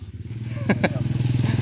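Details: Yanmar TF120 walk-behind tractor diesel, reassembled after a broken valve (oversized valve fitted without stiffer springs): quick, regular thumping idle with no knocks or misses; after the repair it runs evenly and sounds healthy.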